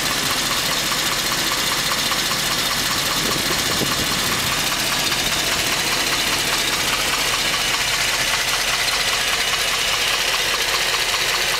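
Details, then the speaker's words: 2010 Hummer H3 Alpha, 5.3L LH9 all-aluminum flex-fuel V8, 2,500 miles, warm after about an hour of running, idling: steady, hollow knock that does not fade after 15–20 seconds. GM calls it piston slap; owner thinks it sounds like diesel or rod knock. "This is the diagnostics of GM's piston slap. The vehicle has been running for approximately 1 hour."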